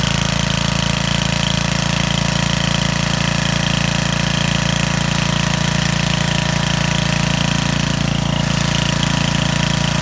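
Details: Trash-found Homelite 8 hp 4400 W generator, long unused, started after priming: even, steady single-cylinder drone at constant speed with no stumbling or hunting, running smoothly powering a lamp.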